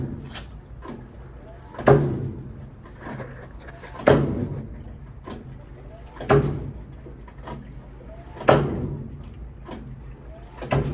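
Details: GE Hotpoint top-load washer, model HSWP1000M3WW, in rinse and soak cycle: a heavy, steady thump about every two seconds over a low motor hum; cause unknown.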